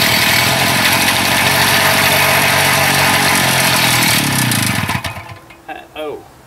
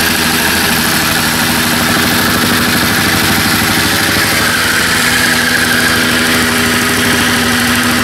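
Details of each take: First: Small two-stroke after idle adjustment: screams ragged about five seconds, then sags, coughs twice and dies, won't hold idle; owner wonders about tired rings or worn cylinder, cause unconfirmed. Unstable idle, stalling. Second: Jumpin Jack two-stroke engine running after carburetor diaphragm service: steady, buzzy note holding an even speed with no stumbles or surging; owner wonders if rings or cylinder are worn; normal running.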